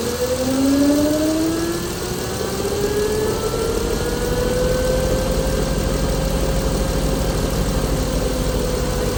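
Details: Chrysler Pentastar 3.6L V6 in a 2017 Dodge Ram 1500 regular cab (labelled 2016), with massive cranking noise on start; steady idle with a thin whine sliding upward in pitch over a rough, busy undertone, abnormal idle noise, cause not pinned down.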